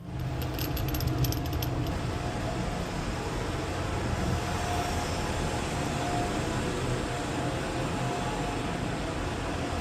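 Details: Oil-fired boiler burner refired after the nozzle was pulled and the oil pump turned back on, before adjustment: steady, even low roar with no pulsing or puffing, no smoke alarm; clean, stable burner operation.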